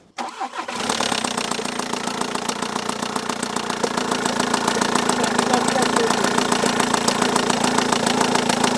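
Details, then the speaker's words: Volkswagen Tiguan diesel with an unknown engine noise, timing cover off: cranks, catches and idles with hard, uneven clatter, timing belt torn halfway and about to break, valve timing slipped, risking engine destruction. "Regardez, la courroie de distribution est cassée en deux. Regardez ici. Elle fait du bruit."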